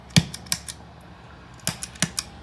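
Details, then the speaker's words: New IdiotBox No Moon pedal: sharp pops at each switch press, about six in three seconds over quiet background; switching pop the seller says is by circuit design. "i can give myself a little bit of volume and i think you can still hear still you can still hear an audible pop volume down on the guitar"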